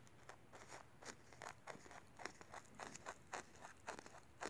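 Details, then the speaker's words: Sangean ATS909 AM/FM/SW radio (c. 1997) internal speaker flexed by hand: dry scratchy crunches about two a second with each cone push; scratchy voice coil rubbing, replacing the speaker fixes the radio. "Hear that noise? We have a scratchy voice coil. So replace the speaker and the radio will play fine."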